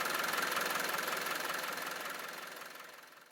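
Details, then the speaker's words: Land Rover 300tdi diesel after replacing the auxiliary drive belt and automatic idler: even rhythmic clatter at about three and a half beats a second, no belt squeal or rattle, noticeably quieter; normal idle. "you can then start your engine and listen to how much quieter your belt and your pulley will be. In this case, it has put the noise of the engine down quite considerably."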